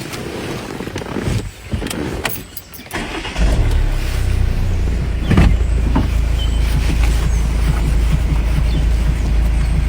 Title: Customer states knocking noise #foryou #fyp #foryoupage